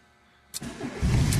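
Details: Fiat Seicento 1.1 with Marelli IAW59F ECU, previously no-start with U1600 electronic key/immobilizer fault; after immobilizer disabled in the ECU, a brief crank catches within half a second and settles into a steady low rumble: normal start.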